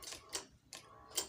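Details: Fuel-injected motorcycle at 15,000 km, deliberately fitted with a faulty battery; starting fails after sitting overnight. Pressing start gives only sharp dry clicks about every 0.4 s and no cranking, while the LED lights flicker. The weak battery chatters the starter relay.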